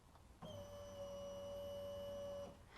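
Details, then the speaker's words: 2012 Polaris RZR 570 fuel pump, jumpered directly via back-probed wire for a volume test: clean steady mid-pitched hum for about two seconds then stops; pump working fine. "we can hear just with that sound, we know that it's working."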